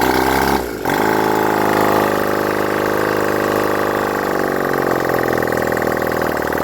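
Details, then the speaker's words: Honda CD175 single after resetting the timing, running without exhausts fitted: after a short dip it settles into a steady, loud open-pipe idle with an even beat and no knocks or rattles. Normal idle, how well it runs is uncertain until exhausts go on. "tried to start it it runs um not too sure how well it's running right now cuz I need to put on the"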